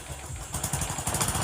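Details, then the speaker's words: Honda XRM 125 Fi motorcycle with a newly wired push-button start via a power-on delay, lights not yet fitted; catches and settles into a quick, even idle with steady low pulses and no knocks or rattles. "Maganda. Maganda talaga ang pagkakano. Maganda yung start natin. Power start. Parang kotse mga"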